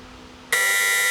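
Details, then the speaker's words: 1972 Toyota Celica, newly added 5–8 psi low-oil-pressure switch with a warning light and buzzer teed beside the stock sender, engine hot and shut off: a sharp, steady high-pitched buzz sounds immediately while the slow gauge still reads about 30. "The gauge is still reading down to 30 and etc. But that that buzzer went off right away. This is exactly what we want."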